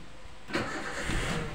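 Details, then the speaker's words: 2008 Toyota Avanza, engine just shut off and restarted warm: brief crank, fires almost instantly into smooth idle; long cranking returns after sitting 5–10 minutes or in the morning cold; normal warm start. "sudah gampang hidupnya kalau sudah kita e matikan kita hidupkan sudah gampang"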